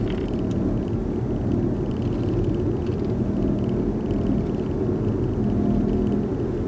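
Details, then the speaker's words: 2009 Audi A4, 168,000 km, while driving: low steady drone under road rumble, appearing above a certain speed, louder at higher speeds and when steering left, with slight steering-wheel vibration; consistent with a worn front wheel bearing. "so ein ganz komisches geräusch aber auch nur ab einer bestimmten geschwindigkeit"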